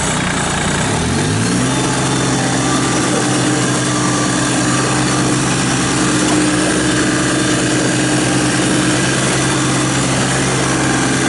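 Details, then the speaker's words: 2017 New Holland Boomer 24 compact tractor, 4x4, 329 hours, with 60" belly mower: engine fires and settles within two seconds into a steady, even idle with smooth drone, no knocks or misses; normal idle. "i'm gonna fire it up run around does everything it's supposed to do here we go"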